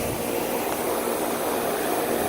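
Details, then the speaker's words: Old ICP/Tempstar condenser (1990) on a roughly 90°F day: a loud, steady rushing-air roar. A fan motor that looks new is the wrong one and spins way too fast; the unit sounds horrible and the line isn't cold. "This thing sounds horrible. It's actually the wrong fan motor in this thing. It's spinning way too fast."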